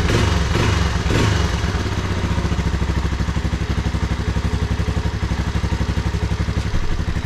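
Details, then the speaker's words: Vintage Honda ATC 250SX three-wheeler under restoration, fuel leaking underneath: quick, steady single-cylinder putter at about four beats a second holding even after start-up; fired first pull and running good. "but man this thing is running good fired up first P when I turned it over"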